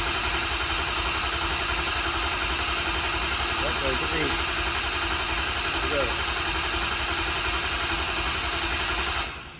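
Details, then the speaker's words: Ford Excursion diesel after head stud job, cold and warming up, only about 3 feet of exhaust fitted: settles into even idle clatter with no knocks or misses, then shuts off; normal idle. "Everything seems okay. I'm just worried about hitting it hard because I got 3 feet of exhaust on here."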